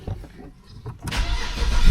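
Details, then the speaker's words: BMW N52 engine after coil-swap misfire diagnosis (earlier cylinder 2 misfire code): cranks, catches and settles into a steady, even idle with no stumble; misfire gone. "That sounds good. The misfire has stopped. Everything is in order."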